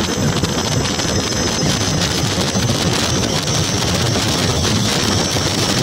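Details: Ola S1X 3 kW gen2 electric scooter at 58 km/h: under heavy wind rush a thin steady high whistle holding pitch, motor whistle noise of unknown cause.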